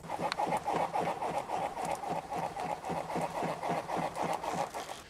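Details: Nissan Qashqai J10 / X-Trail T31: sharp, regular knocks about four per second as the front stabilizer link is rocked by hand; the front stabilizer link is worn and loose.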